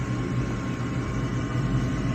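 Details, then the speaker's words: Gas furnace inducer (vent) motor starting a new cycle after post-purge, with the thermostat bypassed by a jumper at the board; the burners earlier failed to light on the first try. Steady low hum of unchanging pitch, no rattle or bearing growl; running normally. "Here goes our inducer fan here. Inducer motor, vent motor, whatever you want to call it."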